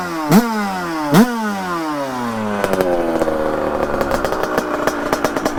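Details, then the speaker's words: Beta 100cc two-stroke with Mikuni 34 carburetor, warmed up, size 25 idle jet: two blips then lumpy burbling idle with irregular popping; still smoky and rich but much improved, idle still needs adjusting. "fume est grass mais c'est déjà mieux c'est déjà beaucoup mieux"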